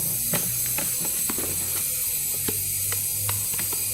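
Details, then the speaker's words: 2001 Honda 400EX that won't start, cylinder pressurised with 20 psi for a leak test: a steady airy hiss with light clicks escapes at the intake as well as the exhaust. A bent exhaust valve is found; a bent intake valve is suspected too. "a little bit from the intake so maybe a bent intake as well"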